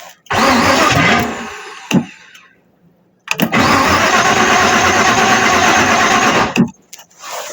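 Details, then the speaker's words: Starter cranking on a 1953 Ford Customline with a 350 Chevy engine swap, battery low after a cable fell off: two strong, even cranking bursts at about three compression beats a second, engine not catching; the starter itself sounds fine. "See right there, that starter sounds fine. It's like it's when it gets low."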